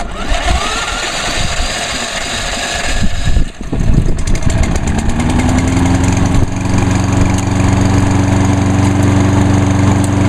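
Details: 2011 Lawnboy 10606 self-propelled electric-start mower, battery left in over winter, fuel line starting to crack: starter churn, then catches and settles into a steady even low drone with no misses; runs normally.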